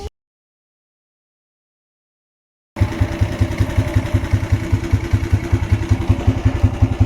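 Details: Honda CG 125 single: after a quiet start it settles into a steady idle with a regular knock near 160 a minute; with the engine opened, the camshaft's middle bearing seat was found worn. Camshaft bearing knock.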